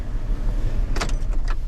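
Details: Van on a cold day after a brief warm-up start: a steady, low, even idle rumble with no knocks or misses.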